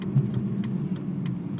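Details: 2004 BMW 325i E46 at idle or when stopped: steady low rumble with a light tick about every third of a second and vibration through the car, which stops with slight throttle; cause not identified.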